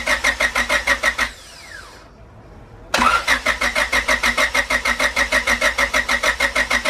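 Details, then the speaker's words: Joe's car with new turbo kit and Hyundai kit ECU, first start after fabrication and oil priming, not in boost: cranks, catches cleanly after a short pause, settles into steady even idle without knocks or misses; sounds good, normal start and idle. "made some major progress on joe's car today it sounds good"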